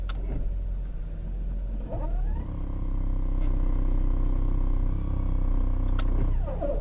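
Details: 2018 Ford Fusion, 6F35 transmission, 23,000 miles: steady droning hum with high whine once Reverse or Drive is selected, gone in Park and Neutral; owner suspects stripped torque converter stator rather than usual bad converter.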